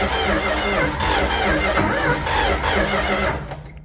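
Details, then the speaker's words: Late-1960s Dodge A108 van, 318 V8, three-on-the-tree manual, with timing issues: starter cranks steadily at about three turns a second with scattered pops and bangs but never catches; crank no start, firing order to be checked. "Nothing. She popped and banged. Wasn't happy about that."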